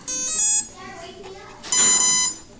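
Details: RC F-16 model electric speed controller, battery plugged in with radio on and throttle fully down, propeller fitted, before a spin-direction check: two short, bright beep bursts about a second apart; normal power-up arming tones.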